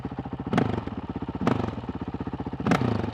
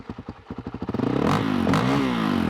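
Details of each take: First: Honda CRF450RL with the Taipan AiM ECU just installed: crisp throttle blips about once a second drop back to an even, steady single-cylinder idle, more stable than with the Vortex ECU. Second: Honda CRF450L/RL single-cylinder engine running an Athena GET ECU, after stalling on a throttle-blip test: slow, lumpy pulses that won't settle, idling lower than it should before being raised; low uneven idle.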